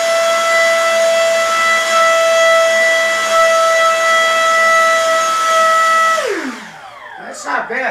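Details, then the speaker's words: FMS F-15C Eagle 64mm EDF model on a 3S battery, sleeve vibration problem already fixed: high steady whine for about six seconds, dropping smoothly when throttle is cut, no chatter; normal run-up. "uh that's 3s uh you notice our pilot tried to uh he ejected the canopy"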